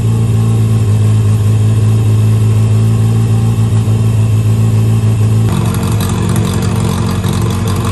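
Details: 1963 Austin-Healey Sprite 1098 four-cylinder after swapping the Weber for SU carbs, new plugs, ignition timing turned back to cure popping, idle adjusted: steady low hum lifting to a firmer rev without misses. Normal idle and revving; SU leaking fuel, probably needs gasket kit.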